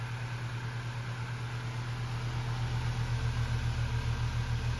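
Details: Lasko vintage fan running on high speed with the stock blade, which is out of balance and has little pitch, making it run too fast and louder than needed: steady low hum with a rhythmic wobble about three times a second and a slight rising throb.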